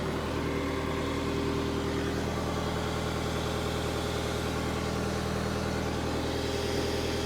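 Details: Power Trac PT 1850 mower/tractor with a Deutz diesel engine showing 168 hours, now running again: a steady, even idle with a smooth low rumble and no knocks or misses while the owner tries to drive it with the hydraulic plug open. The engine runs cleanly, but the tractor doesn't move.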